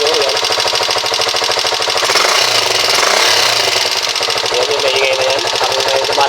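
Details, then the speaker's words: Rusi 125 motorcycle single running: loud, fast, even clacking from the cylinder head; valve clearance too loose. "kasi medyo malagatik Siya banda dito sa kanyang head maingay."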